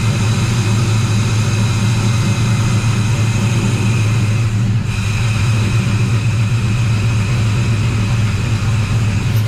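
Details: Squarebody Chevy C10 V8 with new Holley Terminator X EFI, first run: loud steady running with slightly choppy cam lope, no misfire, knock or stumble; healthy.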